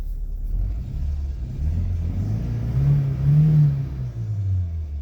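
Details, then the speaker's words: Nissan pickup with a blown head gasket, slightly warmed up: low, lumpy rumble that stumbles and wavers when revved, with heavy engine shake; misfire, engine running on about two cylinders; brake and charging lights flicker with revs. "look at how look at how much shake there is in that two cylinder there whoo"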